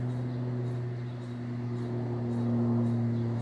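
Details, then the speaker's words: Ceiling fan running with a steady low hum and a wavering scraping tone above it; something rubs as it turns, which is why the fan isn't used. "if you can hear that scraping as you can probably tell why it's not being used"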